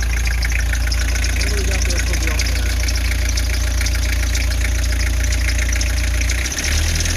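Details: Toyota HiAce 3-liter non-turbo diesel, first start after timing belt, water pump and hydraulic alternator replacement, glow plugs cycled: steady even clatter at idle with no misses or knocks; runs healthy.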